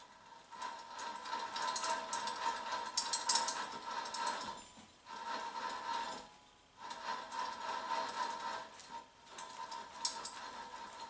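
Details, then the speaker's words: Worn rear wheel bearing on a 2008 Chevrolet Malibu LS, hub turned by hand with the car lifted and nuts removed: gritty, rough crunching in slow bursts, definitely not good; bearing and hub assembly being replaced. "not sure if you can hear that crunching and everything in there but definitely not good"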